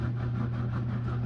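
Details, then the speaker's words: Portable washing machine (28 lb capacity) after the wash: steady low motor drone continues unchanged with no load shifts; motor still running when it should be off, possibly related to the drain setting. Cause suspected, not confirmed. "but you still hear that. I shouldn't have that on."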